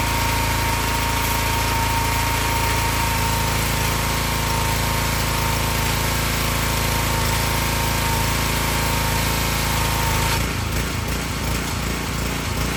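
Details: Excell XR2500 pressure washer (DeVilBiss), 5 hp Honda engine, after fixing the bad spark plug behind its stall-after-15-seconds fault. Steady unbroken drone holding speed, then tone change under pump load: normal running.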